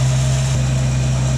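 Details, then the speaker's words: 1967 Ford Mustang after Holley 2300 two-barrel carburetor rebuild, cold on choke fast idle cam, about 1000 rpm read with timing light: steady, even low rumble, no misses or stumbles; normal fast idle, no leaks. "my timing light hooked up so i can read my rpms sitting at about a thousand i could probably pump that up a little bit but that that's a pretty good high aisle"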